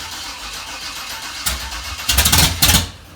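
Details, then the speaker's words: Dad's carbureted car: uneven cranking, then sharp popping bursts spitting back through the carburetor with flames; catches briefly but never runs. "don't see what i mean is spat backwards or should i bring it back"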